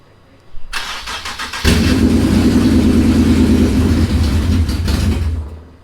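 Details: Nissan 350Z with swapped VQ37 VHR engine, first start after the swap with the starter just connected and the fuel pump primed: half a second of cranking, then it catches cleanly on the key and settles into a loud, steady, even run; healthy first start.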